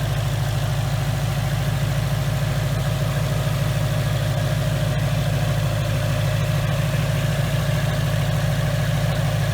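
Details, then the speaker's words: 2019 Mustang GT with Whipple supercharger, new built engine after a broken piston and melted catalytic converters, breaking in on BR30 oil: deep, loud, steady idle with even pulse, no knocks or hunting; runs smooth. "I just want you guys to listen to see how smooth this thing runs"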